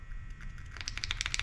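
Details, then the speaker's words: Murray M2510 line trimmer that will not start, carburetor metering chamber opened: a dry, papery crackle as the metering diaphragm flexes. Fuel has made the diaphragm hard when it should be soft. "yeah if you can hear that kind of crackling sound that's the metering diaphragm and it shouldn't be doing that"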